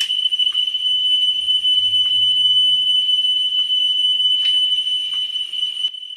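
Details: Pioneer CT-W205R 1990s auto-reverse double cassette deck during service: steady 3 kHz test tone with faint clicks as the head screw is turned; azimuth trimmed for highest pitch, 10 kHz check to follow.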